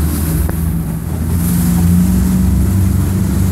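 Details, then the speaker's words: 2016 Mercury 115 four-stroke outboard, at about 3,000 rpm after a misfire and a reset in neutral: even, steady drone with no stumbles or surging; normal running. "Everything is good. Crazy, crazy stuff."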